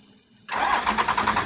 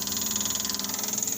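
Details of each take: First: First-gen diesel truck no-restart, key hit after checking connections: starter spins about four even beats a second for nearly three seconds, then drops out without firing. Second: Fuel pump priming normally with the key on: high, steady electric buzz with a quick even pulse. Wire was jumped straight to the solenoid as a test, pointing to a faulty wire as the no-start cause.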